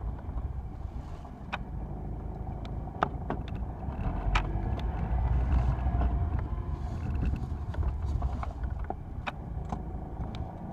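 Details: 2004 Acura TSX automatic, sharp irregular clunks over road rumble while driving; owner suspects rear motor mounts, bushings or sway bar.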